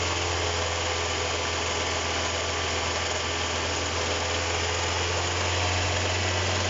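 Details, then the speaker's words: Kia Cerato engine running with reported knock traced to alternator, lower alternator bolt found loose: harsh rough grinding hiss over idle, constant with speed; worn alternator bearing, replaced with used unit. "Шум исходит от генератора. Ладно, хватит. Оно на самом деле стучит."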